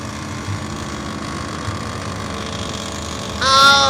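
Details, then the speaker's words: Three-year-old Panasonic inverter split aircon, just cleaned and weak cooling with no freon leak or parts fault: even outdoor-unit hum, then a loud buzzing rattle with whine that comes and goes; technician suspects a mechanical compressor problem. "So, pabalik-balik ho ang ingay. Ibig sabihin talaga mga kamaster, malaki ang possibility na may problema ho ang mechanical ng ating compressor."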